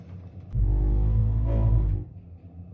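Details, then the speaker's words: Ideal Logic gas boiler: loud, low trumpeting drone from the burner, probably a dirty, blocked gas injector upsetting the gas-air mix; fixed by cleaning the injector. "You've probably got a blocked injector and I'm going to show you how to fix it."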